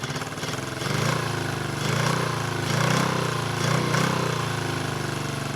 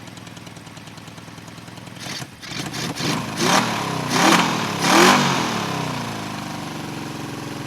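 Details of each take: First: 1974 Honda CB350F four-cylinder, sat unused for years: lumpy uneven idle loping about once a second, running on three of four cylinders; one cylinder dead, suspected float or pilot jet issue in its carburetor. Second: 1974 Honda CB350F four after clearing a blockage in the third carburetor: catches, blips, then settles into a smooth fast idle of about 1200–1300 rpm on all four cylinders. Normal idle.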